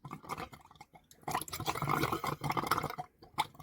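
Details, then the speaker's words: Caravan (about 30 years old) after winter storage, water tank filling: irregular gurgles and spluttering bursts of water and air as trapped air is pushed out through the pipes; air in water pipes. "can you hear that i think the water tank's starting to get full she's burping up come on come on girl burp through there we go we're getting some starting to get all the air out now that's finally starting to push it through them pipes"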